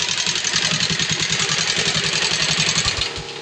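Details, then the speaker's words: Yamaha Sniper 135 after top overhaul, test run: fast sharp metallic ticking at idle until shutoff; top end apparently long without oil, rocker arm lock seized and rocker loose, explaining the noise; valvetrain clatter from lack of lubrication. "matagal na yata itong walang lubrication kasi [Musika] wag na siya umad na lubrication lang sa ibabaw Kaya pala maingay"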